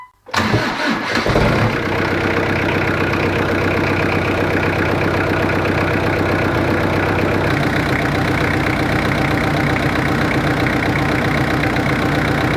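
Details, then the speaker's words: Jeep XJ 2.5TD diesel, first start after fitting GT2871R turbo with new manifold, exhaust and intake, cold garage: brief crank, catches at once, settles into a steady, loud, even idle clatter with no misses; healthy start and idle. "well hopefully you can hear me it's quite loud to be honest"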